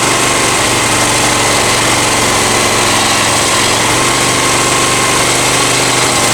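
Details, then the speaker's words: Honda EX1000 generator after carb cleaning, choke off, lights on: steady but slightly labouring low buzz; idle doesn't speed up high enough and needs turning up a tiny bit more. "The idle clock starts on. And it'll speed back up. That's not going high enough."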